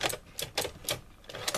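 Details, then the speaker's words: Sony SL-C40ES Betamax VCR: sharp mechanical clatter about twice a second with no smooth motor run; tape won't go fully in or load, suspected loading gear or arm fault. "I put the tape in it won't go in well it's now kind of gone in but it won't load"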